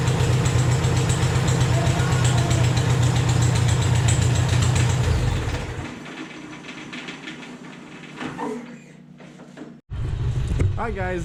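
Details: Rebuilt small petrol engine on a Vermeer 630A stump grinder after rerouting the fuel pump line to feed the carburetor: even, steady beat for about five seconds before shutting off, fuelling properly; normal running.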